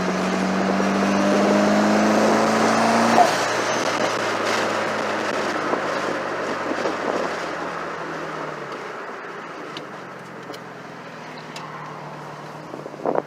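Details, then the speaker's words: Mitsubishi Evo on first drive with a newly fitted FP Red turbo: pulls hard, then a sharp blow-off release as the throttle lifts. The blow-off valve is unchanged but sounds different than with the original turbo. Normal spool and blow-off. "law foul sounds different to when it pops off I didn't change anything on that"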